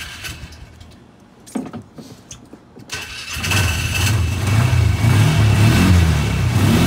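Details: 2014 Polaris Ranger 400 HO after fitting a new EverStart battery: clicks and handling, then fires and settles into a strong even low chug; healthy start and idle.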